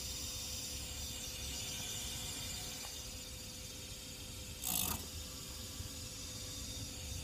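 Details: Fan makes a quiet, steady mid-pitch hum with a faint high hiss whenever it is plugged in. The noise continues even when the fan is stopped by hand and disappears when it is unplugged: electrical whine.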